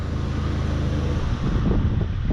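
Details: 1994 Honda Accord, 256,000 miles, after repair of surging high idle, AC on: low, steady engine drone with no hunting or surging. Normal idle, engine running right.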